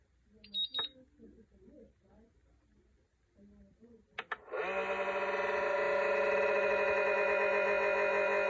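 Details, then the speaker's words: LiPo charger, nearly a year old, charging a 6S pack: after beeps a loud steady high-pitched whir and grinding buzz holds; it was ultra quiet when new, never dropped, and voltage readings are also inaccurate. "it didn't sound like this at first when I first got it it was ultra quiet you be you know you could hear the hum from it but it was a h this is a granding noise now"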